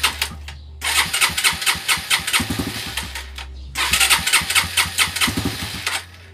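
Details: Suzuki Raider 150 carbureted motorcycle with hard starting, carburetor being checked: repeated cranking bursts that briefly catch and die before a rough run; cause not confirmed.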